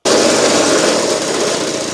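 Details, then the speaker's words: Restored Victa two-stroke go-kart engine idling with the brake on, clutch adjusted so it no longer scrapes: small, fast, steady buzzing idle settling slightly lower, no misses; the owner thinks it is set up perfectly. "Got the clutch so it's not scraping there, but the brake on. The motor's just idling. I think I've got this set up perfectly now."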